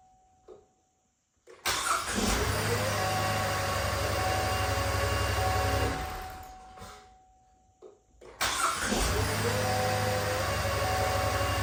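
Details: 2013 Buick LaCrosse 3.6 V6 after starter replacement (old starter sounded like a chain): brisk, even cranking that fires within a second into a steady idle, done twice; starter engages cleanly, normal cranking and start.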